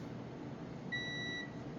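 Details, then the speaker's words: 2013 Honda Odyssey with no AC: a single clear half-second continuity beep from a meter probing between the AC relay positive and the field-coil feed, so the wire has continuity, though it may still be frayed and unable to carry the load. "basically that beep noise, I have the negative side of this stuck into the positive feed to the field coil, and this is the positive side of the relay here."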